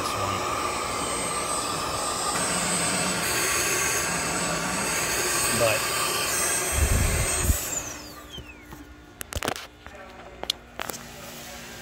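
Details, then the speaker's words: 2015 Chevy Equinox 2.4L with code P0411, secondary air pump commanded on after key cycle: steady whooshing hum for several seconds, then it cuts off and goes quiet; pump normal, ports found clogged. "key on engine off okay you're gonna hear this pump kick on when i turn it on so let's turn it on"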